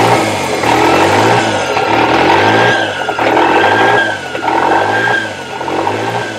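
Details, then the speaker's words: Toyota 3E-TE engine with a hunting idle from start-up: it surges between about 1500 and 2500 rpm roughly once a second; a light throttle sends it to about 3000 rpm before it drops back, and the engine seems to get hot. Cause unconfirmed. "so yeah when it starts up it does the bounce idle between about 1500 RPMs to about 2500 and then I barely touch the throttle and it goes up"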